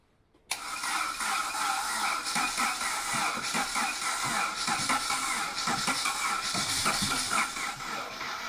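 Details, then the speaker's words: Barn-find Saab 900 16v Turbo, stood 12 years, on a BMW battery with no coolant in it: a sudden catch, then an uneven hiss and patter settling into a continuous idle as it first comes alive. "hey he's alive yeah listen to that this is idling as well she's idling"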